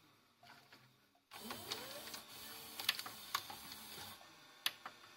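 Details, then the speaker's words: Toshiba V855F VCR (V-series mechanism): motor whirs and transport clicks into play after normal threading, then halts with loose clicks and tape doesn't retract; capstan problem suspected, motor or belt, found to be worn capstan belt. "Donc, il y aura un souci au niveau du cabestan. Soit le moteur cabestan ne tourne pas. Soit il y a un problème peut-être avec la courroie."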